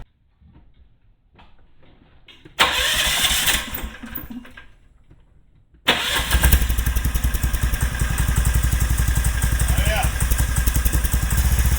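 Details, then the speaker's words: Club Car golf cart with Predator 459 engine swap and Honda Grom muffler, first start, about 85–90°F: catches at once into steady even single-cylinder idle about four beats a second, slight rattle from loose parts; normal. "It sounds sick right now. Sounds like a four-wheeler. Got some vibrations. You might hear a little rattling. That's just some loose stuff."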